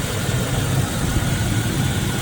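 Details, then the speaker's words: 2005 Chevrolet Silverado, believed a 2500, about 203,000 miles, likely long sitting, heard under the open hood: a brief knock at first went away, then a quiet, steady, even idle with no knock or tick; normal idle. "Alright guys, so nice and quiet engine. There's a little bit of kind of a knock sound at first, but that went away pretty quick, so probably just been sitting for a long time."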